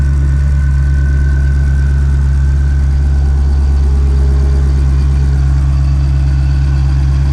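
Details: 2020 Shelby GT500 Mustang V8 after a Whipple 3.8 supercharger install, idling as it warms toward operating temperature: deep, smooth rumble at a settled idle with no ticking, whine or belt chirp, just an even, heavy burble. Normal idle.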